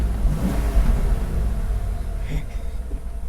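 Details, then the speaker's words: 1994 Ford Mustang GT V8, unstarted for six years, after fuel pump replacement: deep, even rumble holding a steady idle with no misses, knocks or ticking; the engine runs fine. "it doesn't sound bad so the job certainly was a lot harder than i thought it should be but i guess that's to be expected"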